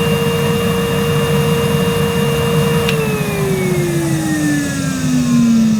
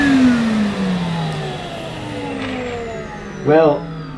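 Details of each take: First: Numatic Henry 1200 W vacuum made 2006, never used, on suction gauge test low then high power: steady whine sinking smoothly in pitch as suction loads it, no rattle or grinding; peaked ~64 low, 102 high; normal running. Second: Numatic Henry vacuum with Aero turbo brush on Saxony carpet: whirring tone sinks steadily lower over a few seconds as brush roll slows, brushes not spinning fast; owner blames the carpet choice rather than the brush.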